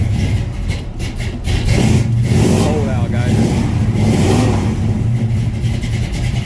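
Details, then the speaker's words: 1967 Chevy C10 V8 on cold start: loud rumble held on the throttle with uneven surging revs, never settling; cold engine won't hold idle. "All right. That ain't gonna idle. You'll be able to hear it. Anyway, that's a cold start."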